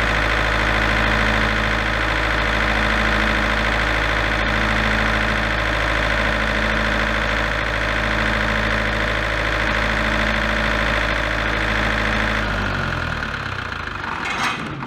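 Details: Large auction-bought diesel generator, engine previously repaired, run after adjusting the internal potentiometer toward 240 V (earlier error shutdown after about 10 seconds). Steady, even drone with electrical hum for about twelve seconds, then spins down.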